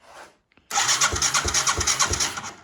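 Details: Yamaha 225DR Tri-Moto three-wheeler under restoration, on a lift, being cranked by the electric starter: a steady whir with even compression pulses, about three per second. It cranks freely but does not catch.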